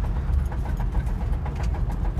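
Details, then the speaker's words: 2003 Ford Crown Victoria P71 Police Interceptor, 4.6L modular V8, 121,000 miles, while driving: deep, rapid, uneven knocking under engine drone from a blown motor while gauges show normal temperature, oil pressure and voltage; engine to be replaced. "but the motor is like totally blown and you can see by the gauges that nothing's wrong like there's no the temperature is fine oil pressure is fine the voltage is fine and it sounds like it's about to explode"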